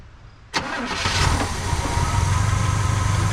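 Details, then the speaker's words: 1985 Pontiac Trans Am V8, 34,000 miles, parked since 1998 (about 28 years): catches sharply and settles into an even low rumble running only on poured-in fuel, then stalls; stuck float or carburetor fuel-supply fault suspected. "Well, it's not pulling fuel. I think I can. I think I can. Looks like we may have to take the carburetor apart, folks."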